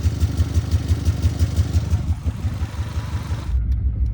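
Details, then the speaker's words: 2002 Subaru Legacy petrol engine with cylinder 1 misfire idles rough, a deep uneven slapping pulse about three times a second, sounding like it wants to die; oil leak found, cause suspected. "It sounds like it wants to die."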